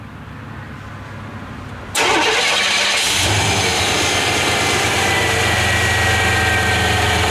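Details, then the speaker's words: 1993 Chevy Silverado hard starting: the fuel pump relay clicks and 12 V reaches it, but owner doubts a good PCM signal. Silence, short cranking, then a steady idle; a new relay ultimately fixed it. Hard starting, fuel pump relay fault. "So, I don't believe we're getting a good signal up to this. But, I mean, we're getting 12 volts coming into this relay. Why it don't close it with that 12 volt signal, I don't know."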